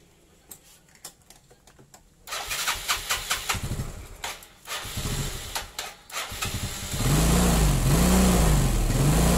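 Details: Yamaha Mio Sporty carbureted scooter that would not start despite good spark: several bursts of cranking, then it catches into a smooth even idle after adjusting tight intake and exhaust valve clearance; normal start and idle after repair.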